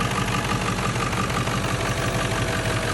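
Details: 1997 Ford F-350 7.3L Powerstroke diesel, 164,000 miles, warmed-up idle: loose knocking chatter about three a second, intermittent, like a rod knock, from a bad belt tensioner pulley bearing.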